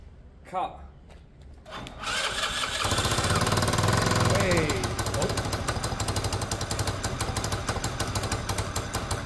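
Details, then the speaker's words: Peugeot Tweet 125cc scooter after new top end: catches after a couple of seconds into a fast, uneven idle, choke seemingly on then off quickly, with puffing, chuffing exhaust blow; part not yet bolted up, suspected air escaping there. "also there's a blow in the exhaust you can hear that the exhaust is blowing"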